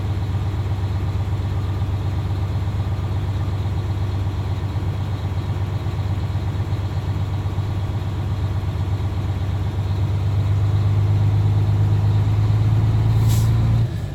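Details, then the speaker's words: Diesel truck idling as air pressure builds in an air brake test: steady idle with compressor working, then a sharp hiss near the end as the air dryer purges at governor cut-out, heard from the back; normal. "now that I heard the audible sound in the back I'm gonna Rivera fie my air pressure with the examiner"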